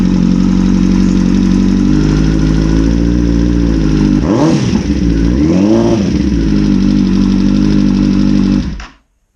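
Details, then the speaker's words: 2009 Kawasaki ZX-10R inline-four after cam chain tensioner adjustment and timing work: idle with light ticking chatter, quieter than before but still present through two throttle blips; owner suspects cam chain or tensioner. "To me, it sounds better. Not perfect, but better. So maybe there is a problem with the cam chain or the tensioner."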